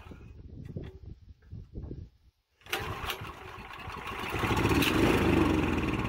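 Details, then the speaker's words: Honda GX340 11 hp ex-pressure-washer engine that sat for years, carb and tank cleaned, premium fuel plus starting fluid, unmounted on concrete: several pulls and sputters, then catches and climbs into an uneven run while smoking. Rough running after long storage. "we had no idea it's been sitting for years you saw the smoke at the beginning they kind of clear it out because it is cleaning up getting some oil in the Rings and getting them to move around again"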